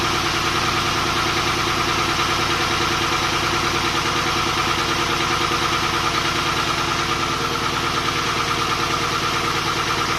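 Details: Volvo 240GLE with an LS2 V8 swap on first start after engine reinstall: steady idle with a faint uneven lope about three times a second, one dead cylinder. The number 8 coil had been swapped to number 2; pulling that plug changed nothing, touching it changed revs, so an ignition fault is suspected.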